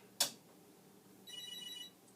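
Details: Commodore SuperPET SP9000, first power since the 1980s, mode-select switches not fitted, retried on/off: single short high chirp then silence; no picture, slight electronic smell amid dust, cause unclear.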